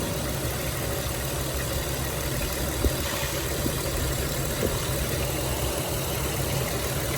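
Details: 2006 Dodge Grand Caravan 3.3L V6 after water pump replacement (leaking pump, failed bearing caused belt squeal and overheating), warming up with heater on, temperature gauge near half; quiet steady hum, no squeal, grinding or knock; normal idle.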